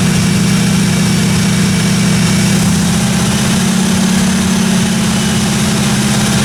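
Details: 1957 Chevy 210 project car, carbureted engine idling during roughly 20-minute cam break-in run: steady, even idle, smooth low rumble, no ticking or tapping from the valve train; normal idle.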